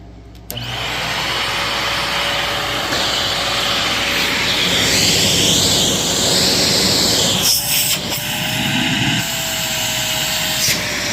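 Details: Shark Navigator NV60 upright vacuum, bought used and plugged in untouched: the motor spins up quickly and settles into an even, steady rushing whir with good airflow. It runs normally.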